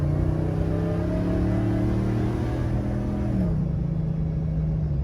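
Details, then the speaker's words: Gen 1 Ford Raptor truck, original power steering pump: low droning groan with sagging pitch over engine rumble every time steering is turned left, loud enough to distract; pump being replaced. "it groans every time you turn to the left it's just it's it's noisy it's noisy to the point that it's distracting"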